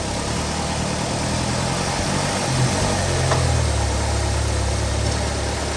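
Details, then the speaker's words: 2019 Ram Promaster City after rear engine mount replacement: steady low idle hum stays even while shifting into gears, with no thumping or shudder; the earlier vibration noise is about 90% reduced. "You can see the engine is a lot more firmer when I shift it through gears. Now there's no more vibration noise anymore. So before there was a lot of vibration noise."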